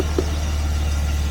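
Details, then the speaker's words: 1968 Jaguar E-type Series 1 (1.5), stored all winter with new parts fitted, cold start on full choke: fires straight into life and settles into a deep, steady, even drone with no misses; it wants choke. Normal cold start idle. "Fires straight into life. Bring the choke down a bit. It actually wants it. Oh, it wants choke."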